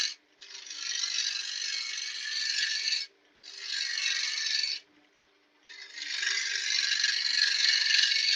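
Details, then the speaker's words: Wood lathe hollowing with a tapered-end hollowing tool; high, harsh scraping screech in bursts during each cut, the thin tip vibrating against the wood, still cutting fine; solid-bar hollowers avoid this. "Still does the job, but as you can hear, you'll hear that screech. That screech is like a vibration."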